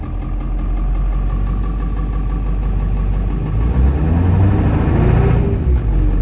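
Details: Ford Bronco with 7.3 Powerstroke diesel after fitting a Jones Turbine JT50 muffler, heard from inside cab with window closed: deep steady rumble with a smooth rev, no drone or rasp; big loud engine but exhaust not bad, normal.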